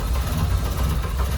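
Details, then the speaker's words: 2010 Chevy Monza 1.6 with a rare fault setting MAP code P0106 (MAP output 3.3 V) plus TPS codes, heard at the exhaust: a low note surging and dipping unevenly over about 1.5 s. Idle hunting from a faulty throttle position sensor. "un auto más tenemos un Chevy 2010 1.6 que tra una falla muy rara Mira cómo hace y se escucha en el escape de esta manera"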